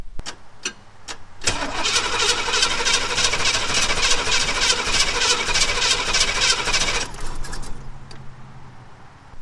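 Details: 1991 Pontiac Trans Am 305 TPI that won't start after the throttle body stuck open: starter spins steadily, about three turns a second for over five seconds, but never fires; spark and air confirmed, fuel delivery suspected.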